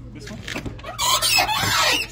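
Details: Chevy truck door before its hinges are lubricated with PB Blaster: a creaky, wavering squeal rises and falls for about a second as the door swings, from a dry, squeaking hinge.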